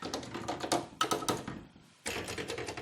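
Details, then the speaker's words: ARP Explorer I (model 2900) synthesizer keybed before refurbishment, with keybed bushings missing. Uneven hollow plastic clacks on key presses; worn bushings, and the bus bars and key contacts are likely oxidized too. "these the bushings don't sound that great and invariably um when the bushings are in that state the bus bars and the key contacts are also going to be pretty heavily oxidized"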